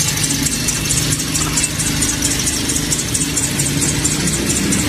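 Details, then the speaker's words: Toyota Vios at idle before serpentine belt replacement: high, shrill chirping pulses several times a second over steady idle; worn, slipping serpentine (accessory) belt squeal. "nha chiếc này nó đang kêu cái dây curoa ở phần dây curoa tổng nữa các bạn Khi mà mình nổ máy lên nghe Nó kêu đi"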